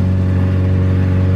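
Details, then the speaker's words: Honda CRX with new intake manifold and injectors, in limp mode capped at 3,000 rpm, driving at very light throttle: steady drone, no stumbles or pops; drives cleanly, unlike previous injector setup. "I'm a very light rpm or very light throttle right now and it actually grooves something that I have never been able to do on the previous set up because of the injectors"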